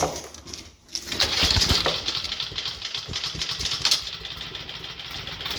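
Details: 2004 Cub Cadet Cyclocut mower, Kawasaki 179cc about 5.5hp single-cylinder, makeshift air shroud fitted, carb cleaner sprayed: catches and settles into a steady, even run with no knocks or misses; healthy.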